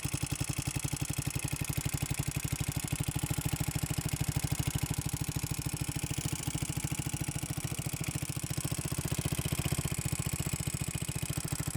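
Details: Motorcycle idling with a steady fast ticking in time with the engine, after oil smoke came from the crankcase breather; engine ticking at idle.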